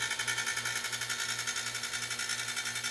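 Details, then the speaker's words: DIY quiet air compressor on a roughly 3-gallon tank, about a minute in at around 22 psi: a loud buzzy hiss with a steady pulse of about four beats a second; noisier than the owner's previous unit, and fitting leaks are suspected. "Well, you can hear how noisy it is. This one's noisier than my last one was, and I'm sure I still have some leaks around here in some places."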